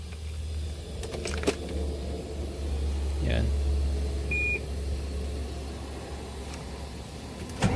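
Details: Volvo D13 dump truck engine that was hard to start within 5-10 minutes of shutdown, after replacing two fuel filters, the pressure return valve and the inlet valve: it catches quickly and settles into a low, steady idle, a clean one-click start.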